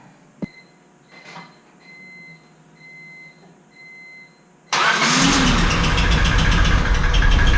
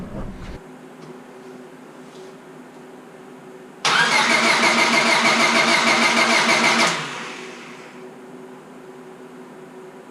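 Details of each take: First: Rebuilt Honda Civic Si engine after a new ignition coil was fitted, first start, no coolant yet: a few soft chimes, then it catches instantly, runs a little rough at first and settles into a steady, even idle. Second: Honda Civic Si after rebuild, distributor with new cap and rotor fitted: starter cranks steadily about three turns a second for three seconds, no firing, still no spark; owner unsure but saw arcing spot on distributor's coil. Crank no start, suspected failed ignition coil.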